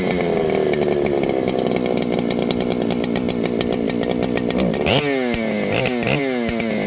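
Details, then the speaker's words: Ported Husqvarna 394XP chainsaw that started and ran, then faded into runability issues and earlier seemed to have no spark: it screams high, then the pitch sags and stumbles in repeated dips as throttle is worked. Bog under throttle, possibly from a failing ignition coil. "I want you guys to hear that you see that it it ran good until it didn't"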